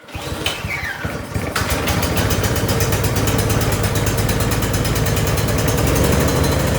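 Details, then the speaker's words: Briggs & Stratton 1022E single-stage snowblower that starts and runs but surges: a pull-start, then a rapid single-cylinder putter whose speed rises and falls; surging blamed on the carburetor, fixed by cleaning it. "It seems to be functioning fine. It starts, it runs, but it surges."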